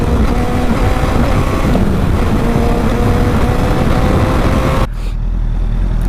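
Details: Honda CBR1000RR riding: heavy engine drone that drops off abruptly under load, bogging and cutting out power.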